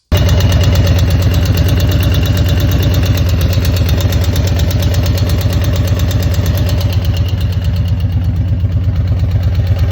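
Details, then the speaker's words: Harley-Davidson Milwaukee 8 Road Glide V-twin idling with a steady light tick over its deep lope after a hard downshift on a built engine; no power loss or misfire; owner suspected a collapsed lifter. "There's no really bad hitting or missing. It's just that annoying tick. So I figured, oh, well, I collapsed a lifter."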